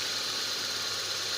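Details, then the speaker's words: Petrol engine after replacing cables, with spark plugs and high tension cable already new, charging at about 14.4 V; quiet, smooth, even idle with no misses, ticks or knocks: normal idle. "So ayan Yan, umandar na siya guys. So okay naman yung andar niya. Tahimik."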